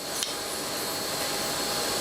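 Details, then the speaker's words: Gas strut recharged through a homemade Schrader valve mod, with little gas pressure so it must be held; a steady wet hiss and rasp of oil swishing past the seals as the strut is worked. "There wasn't much pressure in there at all. You kind of got to hold it. Hear the oil working in there."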